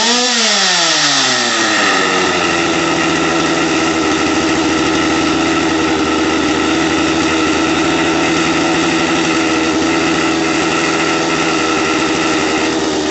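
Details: Stihl MS250 chainsaw on a cold start, just fitted with an OEM carburetor after the old one made the revs swing up and down: the revs drop quickly and settle into a steady, even two-stroke idle with no hunting.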